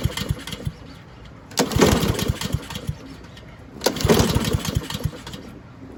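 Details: Husqvarna push mower pulled from the trash, fuel on and gas in the tank: two rope pulls, each with a brief rapid chuffing, but the engine never catches; a dirty carburetor is starving it of fuel.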